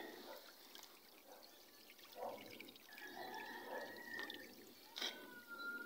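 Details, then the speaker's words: Automatic washing machine draining its water after the wash before the spin: a soft, steady trickle with no pump groan or rattle. Normal drain cycle. "So yan, nag-drainage siya ng water."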